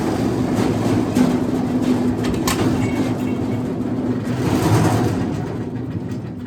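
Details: Wood chipper petrol engine running again after new spark plugs and a battery: loud, rough roar with a quick chattering beat, holding steady speed, running normally.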